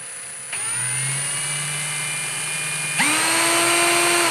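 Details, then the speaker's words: Litheli U20 brushless cordless drill, trigger squeezed slowly: motor whine holds one pitch, then abruptly jumps higher, then again; trigger speed control is stepped, not truly variable. "Also das war jetzt nicht stufenlos. Also ich gehe da wirklich drauf, gehe langsam hoch und dann plötzlich wird es schneller und dann nochmal ein bisschen drücken, dann wird es nochmal ein bisschen schneller."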